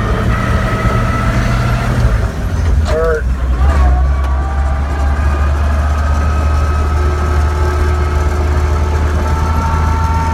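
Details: 1941 Dodge WC12 truck driving: a steady deep drone carrying a thin, constant high whine on top. Transmission gear whine.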